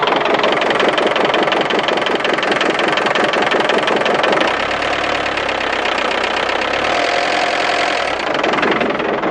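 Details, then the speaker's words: 1990 Iveco Daily 35-8 old diesel, after 25 km on Mecarun Eco 10000 additive and a 48-hour battery charge, starting: harsh, rattling clatter at idle with heavy smoke, louder than normal; owner suspects loosened tank or fuel-circuit dirt or absorbed moisture. "Oh là là, il fait un sale bruit là. Une sale fumée."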